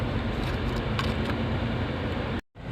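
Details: Maruti Suzuki Wagon R petrol engine idling with check light flashing, codes P0300 and P0303: uneven stumbling rumble with occasional irregular thumps from cylinder 3 misfire.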